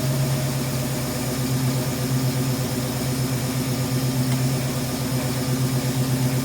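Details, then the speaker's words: 1971 Mustang Sportsroof V8 (tagged 351), sitting about 14 years, no coolant in it, idling after restart: smooth even low hum, no knocks or misses; a little blow-by noted, otherwise sounds good. "Man, that sounds good."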